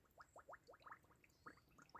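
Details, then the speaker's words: G35, cooling system being filled through a funnel on the radiator with the rear bleeder closed: irregular wet gurgles, about eight in two seconds, as trapped air bubbles out of the coolant. "Look it in there, it's bubbling like hell."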